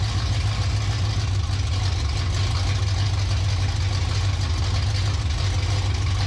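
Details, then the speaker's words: 1967 Pontiac Firebird V8 after sitting about 15 years, idling smoothly on all cylinders with an even, unbroken beat and no skips after new rotor, plugs and plug wires and timing reset; earlier miss gone, owner suspects distributor cap was the problem. "what do you think I don't hear the mying no more no it's running good running real good"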